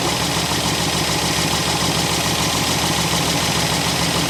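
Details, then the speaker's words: 1964 Buick Electra V8, sat 25+ years and freshly unseized, running after the carburetor was knocked to free a stuck float. Rough idle stumbling about three times a second: a definite miss. Idle circuit probably partly plugged; the choke doesn't help. "It's definitely got a miss. Let's see if it'll run a little better with the choke on."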